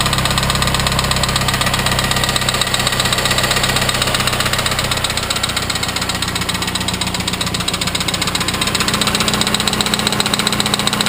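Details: Viggen engine at idle with a sharp, fairly even tap about four times a second over the engine hum; engine knocking, cause unclear.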